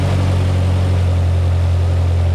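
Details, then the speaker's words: 1972 Toyota Celica 18RG with twin Mikuni 40PHH carbs, rebuilt with new throttle shafts and butterflies, idle just adjusted down: a smooth, even low rumble at a steady 1100 rpm with no hunting or misses. This is a normal idle. "Ooh, that sounds really good. That sounds really good. It's 1100."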